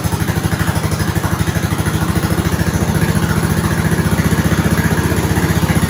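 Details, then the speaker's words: 1970s snowblower rescued from the scrap pile, started on slow with choke on and primed: small single-cylinder engine idles with an even, steady firing beat, no misses or knocks; normal idle. "That sounded good. I'm going to let it sit for a while."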